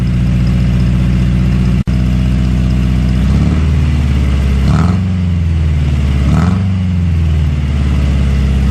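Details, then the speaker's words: Toyota AE86 with a muffler only resting on an oversized fitting, sealed with gasket maker and propped on a jack stand. Deep, loud booming drone at idle with light blips; too loud for the owner: loud exhaust. "well damn I don't know I think that's too loud for me I'm not sure what I want to do but I think that is gonna be too loud for me"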